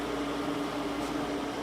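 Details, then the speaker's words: Window air conditioner with compressor under load, blowing cold air with powerful airflow: steady even mid-pitched hum and fan air rush; set to 67, no longer short cycling, dropping humidity, running normally. "It's blowing nice cold air, and this thing has really powerful airflow. And here's this one, compressor's under load"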